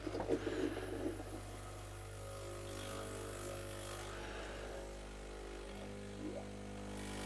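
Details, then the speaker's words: Sage/Breville Oracle BES980 espresso machine after O-ring replacement, water sensor cleaning, a new pump and a repaired triac board: steady, even low buzzing pump hum without surging or stuttering; normal pump operation. "Let's hope for the best. Sounds good anyway."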